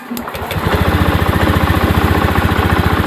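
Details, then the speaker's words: 2017 Honda Beat ESP injection scooter: quick steady idle putter near four beats a second that stays unchanged when the idle air screw is turned, then stalls by itself; IACV suspected and checked next. "Tuh mati sendiri ya, diputar anginnya sama ini."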